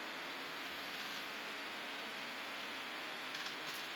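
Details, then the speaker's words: Eufy robot vacuum after replacing worn brush-drive gear with 3D-printed one: smooth steady whirring hiss with no clicking, grinding or skipping; runs normally. "Ну вот, как видите, пылесос работает."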